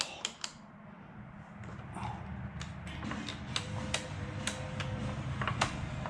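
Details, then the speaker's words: KTM 950 Adventure after valve adjustment, first start attempt: sharp uneven clicks with no cranking or firing, starter can't turn the engine on a dead battery; to be charged overnight. "Dead battery. That's sad. That's all right. I'm going to charge the battery overnight because I'm ready to go home."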